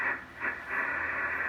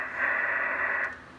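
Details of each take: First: Drake TR4 transceiver, serial 81037, with noise blanker, on 40 meters. Its band switch was cleaned, tube contacts fixed, and IF cans and trimmers peaked. A steady soft hiss swells and fades slightly with no crackle or hum. Band noise is normal. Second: Drake TR4 transceiver, serial 81037, with noise blanker, after band switch cleaning and tube reseating, on 80 meters: steady high hiss with no signal underneath, high noise floor; peaking IF cans and trimmers afterwards perked it up.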